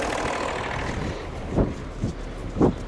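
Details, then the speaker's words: BMW M550d F10 3.0 L six-cylinder turbo diesel, first start after coolant leak repair and water flange replacement, coolant circulating with no leak: very quiet, smooth idle with soft even clatter and a few stray thumps nearby, healthy. "on entend quasiment rien le 6 cylindres 3 l trurbo diesel de l'Apocalypse"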